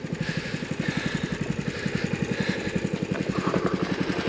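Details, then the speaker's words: Engine idling: steady, even thump of about three and a half beats a second, no knock or miss, running smooth and healthy. "i tuned it up by the way other week a little bad boy purr now hers like a kitty"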